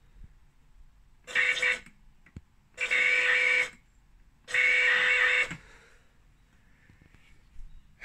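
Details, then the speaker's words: Robot car on the ground with motors powered: three short bursts of steady high-pitched electrical whine, no running or gear noise; the car doesn't move, motors stalled. "you can hear the electrical current sound but the car just doesn't move uh yeah so that's a problem"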